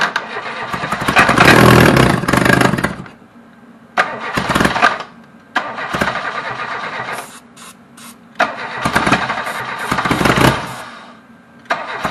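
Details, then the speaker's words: Reliant Robin, first start attempt: three long bursts of brisk starter cranking, never fires; no start because no fuel is reaching the engine. "well that runs because you need fuel"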